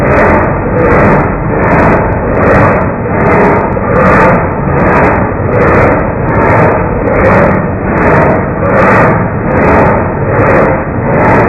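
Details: 1989 Marmon truck, slow cranking: starter drags the engine over at about 77 even compression pulses a minute with no missing beats; compression sounds fine by ear, cause of the slow crank unknown.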